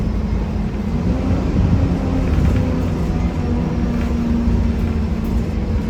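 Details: 1993 Gillig Phantom 35' bus, Cummins ISM engine, Allison B400R transmission, onboard: steady loud rough grinding with low droning tone throughout, little change with speed; owner suspects transmission, unconfirmed.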